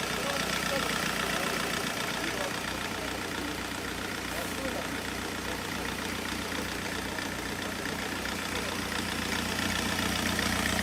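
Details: Ford Connect diesel: rough, lumpy idle with an uneven beat and heavy misfire, slow to start; tests showed high injector back-leakage, so the injectors were removed for overhaul.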